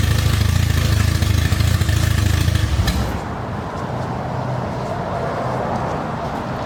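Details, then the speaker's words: Acura Integra DC2 project after a new starter kit, intake not hooked up: loud uneven low chug, then a lumpy, unsteady idle that hunts and stumbles; rough idle blamed on multiple vacuum leaks, engine otherwise said healthy. "doesn't idle right because there's just a lot of stuff going on you know the lot of vacuum leaks one here one there the intake is not hooked up there's another vacuum leak there"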